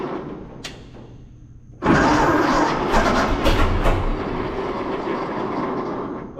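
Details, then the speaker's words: 1926 Seagrave ladder truck, 1013 cubic inch six-cylinder, first start in 10-15 years, fuel fed to carburetor by squeeze ball, valve suspected stuck open: quiet cranking then catches rough and uneven, sputtering without settling; flooded with too much gas. "she wants to go i think we got too much gas so i'm gonna i'm gonna stem the tide of fuel here"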